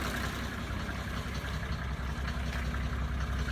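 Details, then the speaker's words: 1980s Mercedes-Benz diesel (OM602/603/617 family) after rebuilding and pop-testing the injectors with new nozzles: low, even diesel clatter at steady idle, no misses, no black or white smoke, slight grey; running smoothly, fixed. "no smoke these are white north or black little bit of gray is okay but we got it got it fixed had a success"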